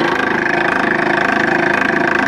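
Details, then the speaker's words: Homemade multi-standard Nipkow disc mechanical televisor, belt drive from motor pulley cog to spindle cog, at power-up: even motor hum with a quick regular pulsing, about twenty a second; an off-center pulley cog rocks the spindle, to be replaced. "although as mentioned the pulley Cog is you know about wonky and it's causes the spindle to rock a bit and makes a quiet noise which is undesirable but for now it'll do"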